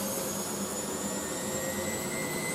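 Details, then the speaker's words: Miele W562 washing machine with new motor brushes, going from a long tumble into spin: smooth, steady motor whine with a faint tone creeping upward as the drum builds speed, likened to an FHP motor; healthy spin motor. "It sounds so nice. Wow. Now that I actually like that. Yeah. It initially sounded like if an FHP motor was in a 9.5. That is sick."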